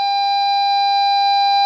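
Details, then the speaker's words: VW Caddy Maxi, ignition on in reverse, after fixing faulty rear parking sensors: steady unbroken high beep as an obstacle approaches behind; rear parking sensor warning working normally. "so when I was out the back I could actually hear the parking sensors beeping again through the front of the van"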